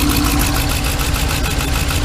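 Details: 2015 Ram 3500 with 5.7 Hemi, misfire code on cylinder 5 (driver's side bank). Loud, uneven stumbling idle with no steady rhythm; rodent-chewed injector connector and wiring being traced and rewired; engine misfire at idle.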